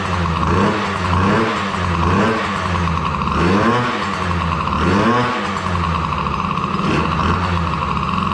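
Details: DRR 90 small engine just after water pump rebuild (damaged shaft caused seal coolant leak), coolant topped off: revs and settles with steady even beat, no knocks, rattles or squeals; running fine.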